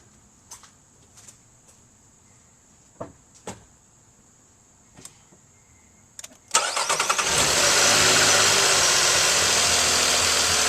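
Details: 2018 Nissan Pathfinder SL, about 27,000 miles, started right after a kerosene flush, oil and filter change and Seafoam added: quiet clicks, then it catches cleanly and settles into a steady, even idle with no misses or knocks; healthy.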